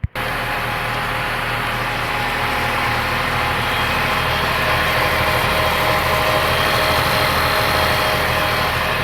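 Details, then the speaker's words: 2015 Range Rover 3.0 HSE supercharged after head gasket and timing chain job, warming up: smooth even idle with light supercharger whirr, no knocks or misses; normal idle, though a cracked coolant pipe seam is now leaking. "Got the old supercharger line a little bit there. Nice and calm and easy. So anyway, it's ready to rock and roll."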